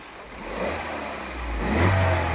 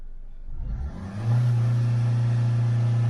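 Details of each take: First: Engine once oil pressure has built up: picks up smoothly from idle into a brief rev with no rattle or knock, sounds healthy; suspected timing chain slap only before oil pressure builds. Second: Engine during crankshaft phonic wheel relearn procedure with flashing engine management light: revs up then holds dead steady around 3,000–3,500 rpm without climbing; limp-mode rev limit because the phonic wheel self-learning is not configured.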